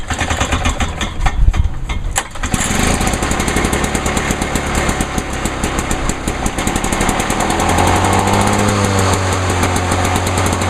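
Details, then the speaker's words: 1986 Lawn-Boy 8461 Commercial mower, over 30 years old, probably unused for two or three weeks, with a freshly sharpened blade: a few rough pulls and sputters, then it catches and settles into a steady two-stroke rattle. Normal start and idle. "still running good for a lawnmower that is over 30 years old"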